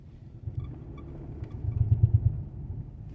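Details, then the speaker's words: 2012 Dodge Durango while turning, quiet going straight: low drivetrain rumble with a burst of four or five dull knocks from underneath, as if the driveshaft is hitting something; driveshaft center support suspected, not confirmed. "Torena, se oye un golpeteo."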